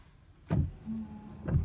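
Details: 1998 Chevy pickup washer pump, just replaced with a new one: two soft clunks with a thin, steady motor hum between them. The pump runs but no washer fluid sprays; owner suspects the system is deprimed and running dry.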